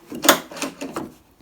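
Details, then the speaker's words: 2002-07 Jeep Liberty Renegade rear tailgate glass latch after repair (Mopar 5143017AA wiring jumper, metal clip over micro switch): pulling the handle gives three short crisp clunks as the latch snaps open cleanly; normal latch release. "it activates the latch so everything is working as it should one more time and that's what would release the windows"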